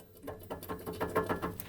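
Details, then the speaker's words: Chevy 327 V8 in a truck after 30,000 miles, engine off, belt stretching and balancer pulley walking despite tightened bolts: quick bursts of dull clunks as the balancer is rocked by hand, from a broken crankshaft snout. "that my friends is the sound of the snout of the crank that is broken in this mighty mouse 327."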